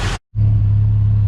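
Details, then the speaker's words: 1986 Ford Mustang SVO, previously misfiring, began running right while being moved; spark confirmed, owner suspects a bad fuel wiring connection: after a brief dropout, steady even low hum with no stumbles; smooth running engine. "Well, I'm not sure what happened, but as I was pulling it around to park it so I can fix the tire, it started running right. So I don't know if there is a bad connection in the wiring for the fuel, but now it seems to be running just fine."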